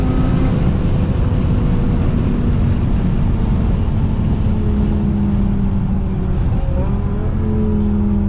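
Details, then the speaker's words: BMW E60 M5 (S85 V10) on the road, AC off, at full throttle after replacing the cylinder 2 and 3 coil packs for a rough cold start: a deep, steady drone pulling evenly with no stumble or top-end falloff, now smooth. "On the power, it's nice and smooth now."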